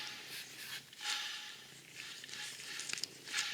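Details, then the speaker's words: Old alternator removed from a 2007 Toyota Camry 2AZ-FE 2.4 at 186K miles, spun by hand: dry, gritty rasp with each spin from worn bearings, unlike the quiet new replacement. "the bearings in there making noise, whereas compared to the new one, whisper quiet."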